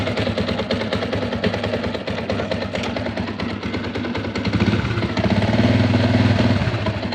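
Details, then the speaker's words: Yamaha Sniper 150 V1 warming idle, clutch lever released: loose uneven rattle over the engine beat that goes quiet when the lever is pulled; worn clutch damper, to be replaced. "Ayun, ingay yung makina niya. Pero kung hawakan mo yung clutch, ito, papahingan nyo. Bibitawan ko. Mas maingay siya."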